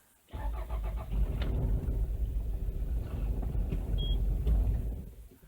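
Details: 2003 Toyota Noah, 2.0L 1AZ-FSE direct-injection engine with coil-on-plug. The starter catches, the engine fires and runs roughly a few seconds, then stalls. A fault code returns after clearing; the cause is still being diagnosed.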